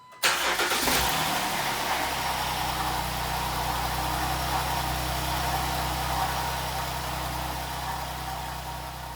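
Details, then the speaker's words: 2011 Jeep Wrangler JKU 3.8L V6 just after a new alternator install: cranks, catches and idles with a faint whirring grind up front, noise unchanged. Alternator charges at 14.1–14.2 V, so the accessory bearing noise is not from the alternator. "Well, unfortunately, the engine noise is not really any different at all. It's still making the noises I was trying to get rid of, but looking at the alternator voltage from inside the Jeep."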